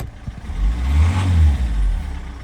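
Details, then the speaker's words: Citroen C5 diesel, cold, with EGR blanked off and some petrol still in the fuel: picks up cleanly from idle into a smooth, even rev and settles back with no misses or knocks once cleared. Owner suspects an injector is still down. "Oh, there we go. It's cleared now. Best thing to do with a cold engine is rev."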